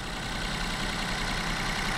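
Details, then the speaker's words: Volkswagen T-Cross automatic, 999 cc 1.0 direct-injection, 110 hp, 2,000–3,000 km, bonnet open after start; steady idle with light even diesel-like injector ticking, calming a little. Normal direct-injection noise. "Vraiment le bruit de diesel. Hein. Voilà, il se calme un peu."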